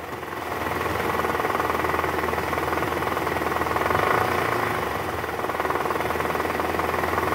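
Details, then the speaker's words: 2012 Toyota Camry 2.5 V, 2AR-FE engine, 167,000 km, just after start, AC on, in R or D: rough diesel-like clatter about four knocks a second, loudest at oil pan, quieter in neutral; worn, loose balancer shaft, gone after replacement. "suara kasar di area mesin pada saat awal mesin hidup masuk r atau d dan posisi AC on nah bunyinya seperti ini guys"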